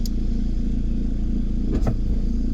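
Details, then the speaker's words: VW T25 van with TDI engine swap, road test after injector overhaul with larger nozzles, pulling well in the gears: steady diesel drone with a loose clattery rattle over it from the alternator belt, which still needs sorting. "yeah, once we get that alternator belt sorted out now, the rattle that you hear will go out of it. That's what that noise is."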